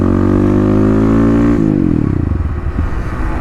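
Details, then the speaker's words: 2018 Kawasaki KLX250 with 351cc big bore, Barker's full exhaust, EJK fuel controller and snorkel: after high revs or clutch-in, engine stumbles and dies instead of idling. Owner suspects too much fuel in the controller zone above about 2,000–3,000 rpm; he also notes a misfire at 6,000 rpm. "So right there, I'm pretty sure it dies out because it goes from the yellow zone to idle. And in the yellow zone, I think there's too much fuel for it to return to idle."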